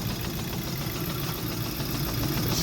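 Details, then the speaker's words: 2006 Audi A3 2.0T on a frosty morning with multiple-cylinder misfire and rich codes: after the shaking smooths out, a steady low idle with a light metallic rattle through it remains. The rattle's source is unidentified. "still a rattling"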